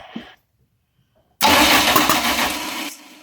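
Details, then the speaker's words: 1989 Dodge Daytona 2.2 turbo conversion, first start attempt after distributor re-clocked: after silence, a sudden loud pop and rough burst that fades; backfire through the intake from incorrect ignition timing. "That's definitely intake."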